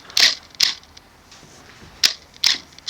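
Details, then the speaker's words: Nikon D600 in video with AF-F full-time face-detection autofocus: five short, sharp whirring clicks at uneven intervals over three seconds. The focus motor keeps hunting without settling; the camera is struggling to focus. "it's really struggling to focus actually"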